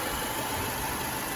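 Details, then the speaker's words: Mercedes-Benz W212 M271 at idle after adding StopTech coolant stop-leak, with coolant level now stable: even, steady idle hum with no ticking; the engine runs normally and quietly with the lifters quiet. "Двигатель, кажется, сейчас работает нормально, тихо и не стучит."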